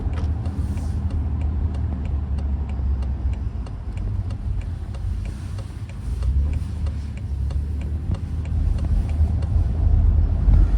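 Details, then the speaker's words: BMW M5 F10 driven over cobblestones in town to check for clunks or squeaks: steady rumble and patter of tyre taps, no clunks, knocks or squeaks; suspension sounds tight and normal. "C'est bien aussi de faire du pavé avec la bagnole parce que quand tu fais de la ville et du pavé, ça la secoue et tuentends si ça claque, si ça grince, si machin et là ça va. Donc ça va."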